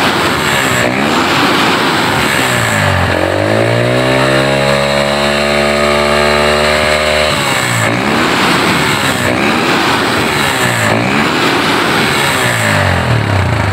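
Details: Honda GL Neotech after repair of its stumbling on throttle, heavy fuel use and black plugs: engine blips up cleanly, holds a steady high rev, then drops back to idle without stumbling; smooth revving.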